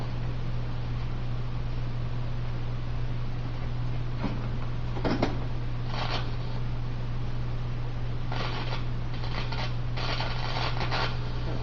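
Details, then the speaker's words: A vintage Teisco Checkmate 10 solid-state guitar amp, plugged into the first input with the volume turned up, gives a constant low buzz near 100 Hz with crackles when handled; the owner suspects one of the first transistors. "with this plugged into the foot into the first input I'm getting that little buzz right there when I have it turned up to a certain amount"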